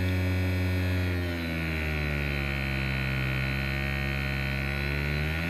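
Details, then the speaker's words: Cheap massager motor rated for 3 volts, driven by PWM speed control with the supply voltage raised: loud, harsh buzzing hum with a steady high whine climbing slightly as voltage rises; motor overdriven at high voltage. "you could put a pair of lithium cells in there at some three point two volts each that give you six volts instead of three so what will happen if I knock the power supply voltage"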